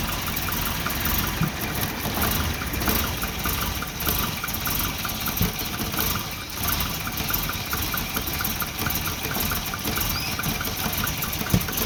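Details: Volvo 240 idle hunts and stumbles with uneven lumpy beats and faint ticking; multimeter on the O2 sensor read erratically once exhaust reached temperature, and a new exhaust oxygen sensor fixed the rough idle.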